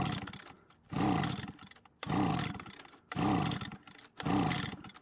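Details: Echo leaf blower, well used, that often won't start or dies after a minute; spark confirmed and gas added to the carb throat. Four rope pulls about a second apart, each a rasping spin that never catches; no-start, compression test follows.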